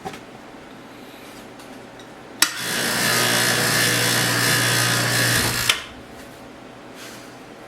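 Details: 30-inch Covington lapidary slab saw after replacing a pulley melted when a stone caught on the segmented blade; belt slightly worn. Motor kicks on and runs a steady, even whir with constant low hum for about three seconds, then stops; runs smoothly.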